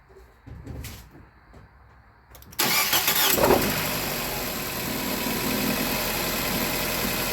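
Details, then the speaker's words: Nissan Cube after replacing a faulty ignition coil (P0300/cylinder 3 misfire codes): engine cranks, catches quickly and settles into an even, steady idle with no stumble; normal idle, though a surge is noted afterward. "Cleared up. Sounds good."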